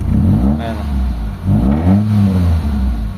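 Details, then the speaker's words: Mitsubishi Lancer GLXi 4G92, manual, idle drops and stalls in traffic with A/C on: revving with A/C on, revs rise unevenly and stumble on first tip-in, then smooth at high rpm; hesitation on acceleration, TPS to be checked, cause unconfirmed. "Mayon siyang palya sa unang tapak pero pagka naka-high RPM na all goods na siya mga bossing."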